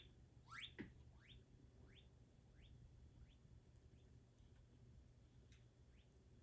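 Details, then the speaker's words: JTM-style clone tube guitar amp cranked to 10, speaker jack wired to a dummy load with no speaker: faint repeating rising chirps ring off the chassis over a low hum. The output transformer is audibly singing the test signal. "I can clearly hear the this the signal through the amp itself there's no speaker attached it's tremendous it's tremendously interesting"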